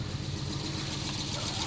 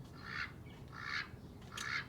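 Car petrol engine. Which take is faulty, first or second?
second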